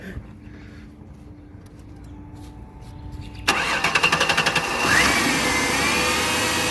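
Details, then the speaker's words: 2003 Ford Taurus 3.0L V6 after replacing fuel rail pressure sensor for P0193 and clearing codes: short burst of quick cranking, then it catches cleanly and settles into a steady idle. "all right guys so now that we got the fuel pressure sensor replaced and i got all the codes cleared and everything we're gonna fire it up and see how she's running"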